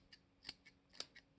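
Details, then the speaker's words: Fake Benchmade Bugout knife: sharp, gritty metal clicks and scrapes as the stiff axis lock is forced down; hard to press and grinding. "to push this down and you can hear it just grinding"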